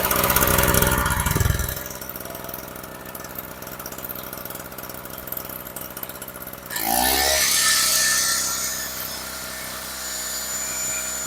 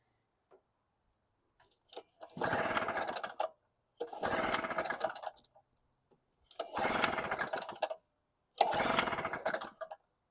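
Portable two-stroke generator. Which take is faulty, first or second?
second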